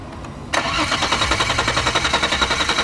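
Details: 2002 VW Passat 2.8L V6, intermittent stall and no-start after warm road test, fuel pump and relay already replaced; cranks evenly about three and a half pulses a second but never fires, no spark or injector pulse; faulty crank sensor, 5 V reference reading low.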